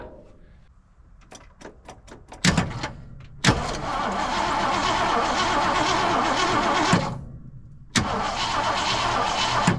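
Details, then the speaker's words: 1979 Jeep Cherokee Chief S Wide Track, long-stored, cranked on a hot battery after tightening the terminals, before fuel is supplied. A few starter clicks, then strong, even cranking pulses; the engine is not seized and compression sounds fine. "She turns over so she's not stuck and she doesn't sound like she's uh lacking compression cuz this is a hot battery."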